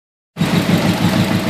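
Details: Nissan CA18DET with a very rough, lumpy, shaky idle and a throbbing stumbling beat; one cylinder misfiring, no change when unplugging coil two, though it has spark and fuel.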